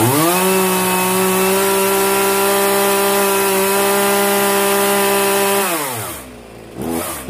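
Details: Zenoah 3800 chainsaw after carburetor mixture adjustment: strong steady high buzz at full throttle for five seconds, then revs fall away smoothly; runs clean and even.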